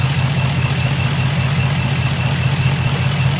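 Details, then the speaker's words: 2006 Chevrolet Impala SS, LS4 5.3L V8, 4T65E-HD, 69,000 miles, codes P0118, P0300, P0307, coolant leak: low lumpy uneven idle shaking about 2.5 beats a second; random misfires across cylinders, spark plugs and wires suspected. "vo 300 people that means we have misfires all across the board don't sound very happy though"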